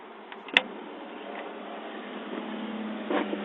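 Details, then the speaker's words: 1985 Fleetwood Pace Arrow V29 RV on household AC, water pump switched on: steady low electric hum holding even pitch as lines pressurise, then stops; pump runs smoothly and normally. "'s on yeah I can hear the pump thank you bump stopped"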